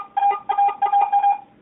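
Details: Garrett AT-Pro metal detector air test, zinc penny at about 2 inches from the coil, reading about 75. Five quick bursts of a clear mid-pitched tone, each steady and even: a normal zinc penny target tone.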